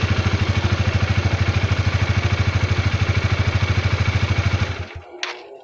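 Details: Honda CB150R motorcycle after its jammed starter motor was repaired, starting on a weak used battery: the engine catches and settles into a steady, even idle thump of about 2.5 beats a second with no misses, then a clean shutdown. Normal.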